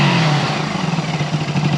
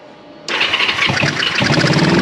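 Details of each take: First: 1974 Honda CB360 twin after carburetor diagnosis and repair, earlier running on one cylinder: steady even twin burble, smooth pulsing, no misfire, now firing on both cylinders; normal running. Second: 1974 Honda CB360 twin after carburetor work, started on choke: lumpy, uneven beat with surging revs, as if running on only one cylinder. Both plugs are connected and the cause is unknown.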